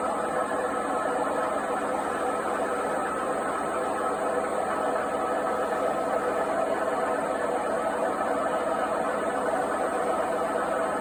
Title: Noisy failed washing machine bearings part 3